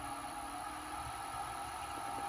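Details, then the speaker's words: Wood lathe spinning a bowl blank the turner expected to be out of balance, tailstock brought up, at 400 rpm: a steady, even motor hum with a mid-pitched drone and a faint high whine, no shaking or rattle. Smooth running at low speed; a wobble appears by 500. "Right, now we're all right at the moment. Yep, we're okay. We've got our tail stuck up, so we're all good. I'm at 400."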